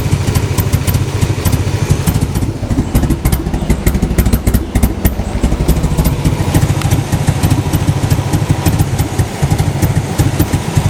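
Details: Toyota MR2 petrol engine at idle: uneven, lumpy chug with irregular thumps. Rough idle.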